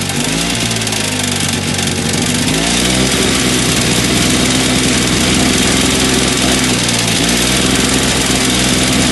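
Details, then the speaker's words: Two-stroke electric-start snowblower, first start of the season after sealant repair, primed and on choke: revs sag hard twice and pick back up, hunting unevenly; surging and won't stay running, carburetor suspected, to be removed. "ah I thought I had it it's like it almost wants to do it it's almost there but apparently why you always grab that I'm going to have to take the carburetor off"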